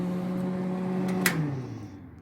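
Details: Old 110 V Century wire feed welder, caked in dust: steady low electric hum with a faint higher whine that winds down evenly; wire feed motor runs normally.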